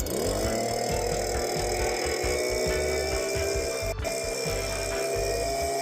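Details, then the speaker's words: STIHL BG86 blower (wouldn't rev up, no power) after decarbonising, before carburetor adjustment: steady high two-stroke drone revving smoothly and evenly, no misfires or surging; sounds much better. "That's already sounding a ton better. But we are going to adjust the carb."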